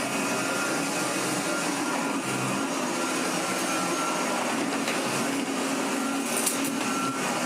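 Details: 1985 Hotpoint Super 3650 vacuum after restoration, bearings flushed and re-greased: smooth, constant high whoosh of motor and airflow, no rattles, grinding or surging; healthy normal running.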